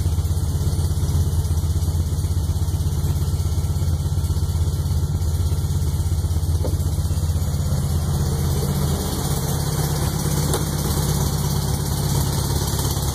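Freshly built engine idles low and lumpy with an uneven pop and knock running through it; cause not yet pinned down.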